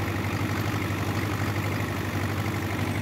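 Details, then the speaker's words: John Deere 2010 tractor after a welded PTO gearbox housing repair, PTO engaged and running a bush hog mowing grass: steady, even diesel drone with smooth low beat, no squeal or grinding; running very smooth. "PTO engage sounds fine to me the tractor runs loud anyway I couldn't hear anything it seemed to be running very very smooth"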